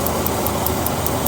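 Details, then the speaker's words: 2000 Dodge Ram 3500 van, 5.9L 360 V8, warm idle: light, sharp, steady tapping about five times a second from an aged evap purge solenoid mounted to the body and echoing through it, not lifters; fix is isolating it from the body. "that solenoid is tap, tap, tap, tap, tap. Well, if it's mounted to the body, it starts echoing through the body, and it sounds like the worst tapping sound you've ever heard."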